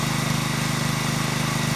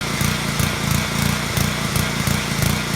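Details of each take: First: Small petrol engine (lawn mower or pressure washer type) after a carburetor pilot jet cleaning fix for surging, now running at an even, steady idle with no rise and fall in revs. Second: Surging, hunting small petrol engine on a lawnmower or pressure washer, speed rising and falling in a quick uneven pulse; attributed to a pilot jet passage in the carburetor clogged with varnish or debris, starving fuel at idle.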